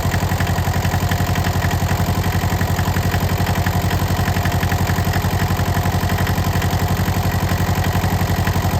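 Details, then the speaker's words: Cold start at about 28–30°F: engine labours with a loud, steady low thumping idle that lopes a little; throttle gummy and stiff, neutral safety switch possibly not working; rough cold idle. "Its throttle's really gummy, really stiff. It's cold. I'm trying to get it idle."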